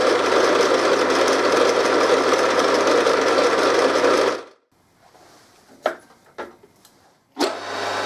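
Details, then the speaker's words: RF45-style milling machine (AMA 45, Taiwanese) geared head after a gearbox rebuild for a rattle, less backlash in the gear train, resealed and refilled with recommended gear oil: steady, even whirr for about four seconds before shutdown, then handling clicks; no grinding or rattle, much quieter and smoother than before. "I don't know if this will come across on video but it sounds significantly quieter and smoother than before"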